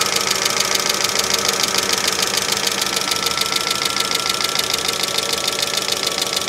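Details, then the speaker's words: 2005 Mercedes ML350 (W163) bought with no oil, idling cold weather toward operating temperature: fast, even, sharp metallic top-end clatter over idle; owner doubts a head gasket leak and suspects lubrication issues, valvetrain chatter. "so I don't think we have a head gasket leak I think we have some lubrication issues"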